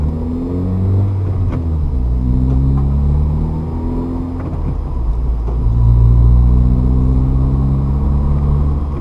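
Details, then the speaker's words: Manual transmission car, fourth-to-fifth upshift: revs climb, drop at the shift, then swell briefly as a little gas is applied early; the longer fourth-to-fifth shift throw causes the rev flare before settling in fifth. "again sometimes in the fifth gear you can actually hear me hear a little bit of gas go up and that is because this distance it goes from fourth to fifth is kind of a longer distance"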